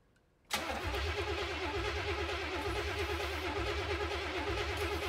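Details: 1970 Oldsmobile Cutlass V8, sat about 15 years: steady uneven churning crank, almost wants to run but never picks up. Crank no start; suspected carb bowls not filling with fuel, later primed by pouring fuel in.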